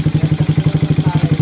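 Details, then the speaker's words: Freshly built Suzuki Raider 180cc carbureted engine, 30mm Koso carb, 68mm block, head work, in break-in and not yet final-tuned: an even, deep putt-putt of about ten pulses a second with no ticking or knocking, a very quiet, healthy idle. "Sobrang tahimik na makina. Parang nirefresh lang mga idol."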